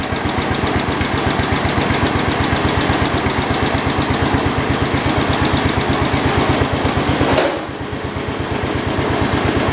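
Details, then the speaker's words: 1972 Homelite T10 garden tractor, 10th built, revived. Fast, even thumping with no misses or knocks, briefly dipping under load and recovering; sounds healthy, though the generator light shows it isn't charging. "it sounds really good sounds good and healthy"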